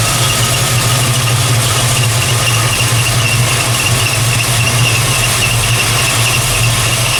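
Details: 1968 Plymouth Barracuda with ATK crate V8, first fire-up after swapping MSD Ready To Run ignition for ACES EFI distributor: loud steady belt squeal over a rumbling idle; owner wonders if something is loose, belt likely slipping off a pulley rib.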